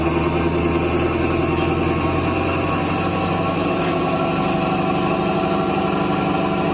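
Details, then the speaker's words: 1970 Cadillac Eldorado V8, 3-step carburetor, proper cold start with choke set by one accelerator press: catches immediately and settles into a smooth, even fast idle with no misses or knocks; healthy cold start. "Now this is a 3-step carburetor. So if I press the accelerator again, the engine idle will come down."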